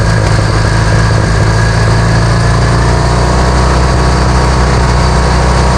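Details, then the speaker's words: Vintage Hydra-Mac mini skid steer, after cleaning the ignition points: loud steady rumble at a fast, even idle that never drops back; throttle sticking; idling far too high. "Cleaned up the points on this thing and it pretty much fired right up. Stayed running. It was idling real high."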